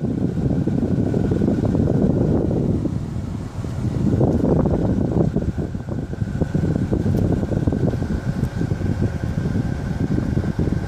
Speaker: If I turn the AC on, the whining noise comes in.